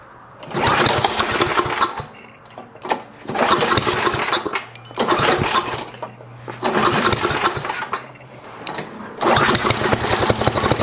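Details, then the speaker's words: 1972 John Deere 56 mower with swapped single-cylinder engine, third start attempt after repairs: catches after a pull and runs in ragged bursts with brief dips; fires and stays alive. "well that's at least good we have life"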